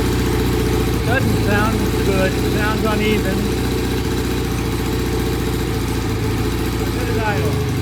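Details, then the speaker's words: Vintage British motorcycle that wouldn't start after repeated kicking, just kick-started: loping uneven idle that won't settle; rough idle, needs some adjusting, cause suspected, not confirmed. "so it needs some adjusting we'll go through the uh the uh pilot jet cleaning and uh check the uh idle settings and sounds a little rough"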